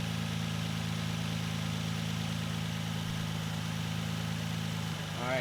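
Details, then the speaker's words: Nissan 350Z idling just after its belts were reinstalled and tensioned: smooth, even idle with a steady low hum and no belt squeal or chirp; healthy. "there we are run good everything's looking mighty fine"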